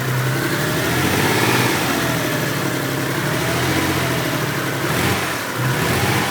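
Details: Mitsubishi 3000GT VR4 idling unevenly with a loping stumble and dips in the beat; a misfire at idle, owner suspects a valve problem or just a bad misfire.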